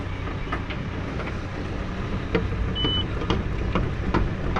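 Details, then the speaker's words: JCB JS130 excavator before slew bearing replacement, only kept alive with grease for four months, upper rocks when pushed: irregular popping and crunching while swinging over engine drone; worn slew bearing. "you can hear the swing Bing just popping and crunching and"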